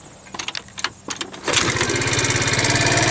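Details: 50cc GY6 Chinese scooter with kick start, battery completely disconnected and removed: a few kick strokes, then the engine catches and settles into a steady, even idle with no misses; starts and runs fine without a battery.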